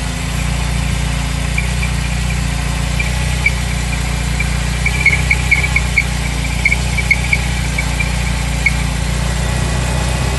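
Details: BMW E30 318iS at steady idle: a high chirping squeal comes in bursts over the engine, loudest mid-clip. It is a slipping power steering belt, which squeals loudly on start-up and when the steering is turned.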